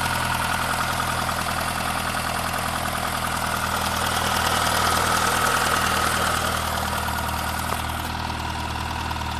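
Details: 2001 Saab 9-3 Viggen at idle: a loose, uneven tapping about three per second over a steady hum, which began after the car ran out of fuel; sometimes grinds at startup; DI cassette swapped, noise remains; source unidentified.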